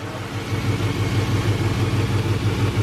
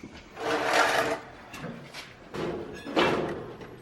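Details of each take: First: LS-swapped Chevrolet Suburban V8 on first start-up after the swap with new cold air intake, even low rumbling idle, steady exhaust pulse, no knocks or smoke; normal idle. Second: LS-swapped Suburban first start after the swap: cranks, fires and settles into a fast raised idle held well above normal; cause not pinned down, a too-tight cruise control cable is blamed and the new cold air intake is suspected.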